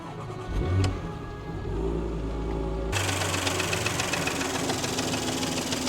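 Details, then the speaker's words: 2019 Porsche Macan S 3.0 petrol, low mileage, full service history, auction notes say engine bay rattling: short crank, engine catches, metallic rattle over idle, fading around 2,500 rpm. "So, that was the rattling they were talking about."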